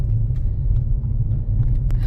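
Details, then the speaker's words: 2007 Mercedes E350 4MATIC petrol V6 at first start after a full engine rebuild for severe knock, warming up: smooth, steady low rumble with no knocking, ticking or smoke. Normal idle. "It's freaking sounds amazing. I don't know what this Mercedes in 2007 was supposed to sound like, but I I did not expect it to sound like this."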